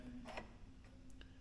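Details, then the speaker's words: Subaru Trailseeker EV charge port: faint sharp tick over low room hum as the charging plug is inserted, the pin locking normally; one button press unlocks it. "I heard the pin lock. I heard dink. And then push this 1 time and I heard it unlock."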